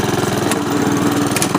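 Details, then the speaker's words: Honda HRX217 self-propelled mower after right rear axle support repair for grinding, drive engaged in third or fourth gear. Single-cylinder engine runs steady with an even, quick beat and no grinding from the drive; normal self-propelled drive. "okay we'll put it in third or fourth gear here one two we're up by five wanna try that and she'd be driving perfectly fine at me"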